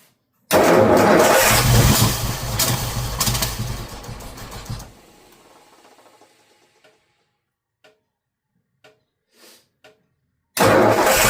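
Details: Ford engine with Holley Sniper 2 fuel injection: fires unevenly with sharp pops for a few seconds, then dies; backfiring of unknown cause, owner wondered about too much fuel.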